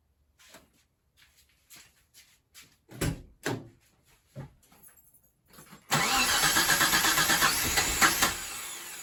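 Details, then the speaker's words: Engine in a 1989 Mitsubishi Montero (Gen 1), first start after install with a new clutch. Third try after being 180° out, distributor nudged. Several cranks, then it catches and runs rough and lumpy; owner suspects ignition timing. "We got it to run! Not well, but we got it to run. So we got to mess with this distributor some more. I think it's just a timing issue."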